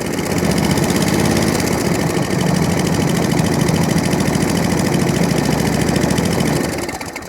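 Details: Atco Balmoral 14S single-cylinder mower, after starting with choke: idles with a steady, even patter and no misses or knocks, then shuts off cleanly; healthy idle (drive grunchy).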